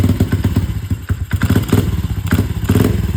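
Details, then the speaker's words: 2001 Honda XR70R dirt bike just after a new 20 mm TB carburetor install, full tank: thumps along at idle, each quick blip sags and stumbles instead of picking up; bog off idle, cause unknown. "So, basically what we got going on here is if I just from idle, I just give it just box, which I'm sure you can hear."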